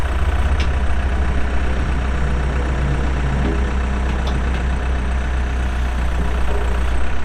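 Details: 2007 Case 580M Series 2 backhoe, 4WD, pre-emissions diesel with 3,812 hours, at idle: a deep, steady rumble with no knocks, misses or rattles; the cab air-conditioning compressor is locked up. Normal idle.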